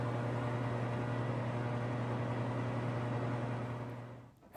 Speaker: Here is a loud old ceiling fan that we're going to fix today.